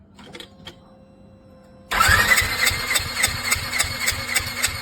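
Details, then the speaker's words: Polaris RZR engine cranked 5–6 times with plugs out for compression check after BG EPR treatment, 18-minute run, oil change and BG oil supplement: fast even cranking ~3.5 beats/s with buzzy top; left cylinder rose from 75 to about 95 psi. "Okay, Lori, go ahead and crank it over about 5 or 6"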